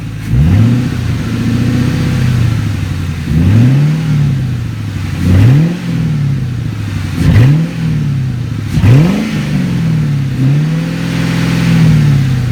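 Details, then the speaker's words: 2003 Mustang GT automatic V8 after reinstalling the cat, with mid pipe on but no catback (open exhaust): deep, clean repeated rev blips with no ticking or puffing. No exhaust leak, and the exhaust sounds sealed. "So I was worrying that it was going to have an exhaust ticking leak, and so when I did fire it up, I was very pleased to find that there's no exhaust leak. And this is now open exhaust."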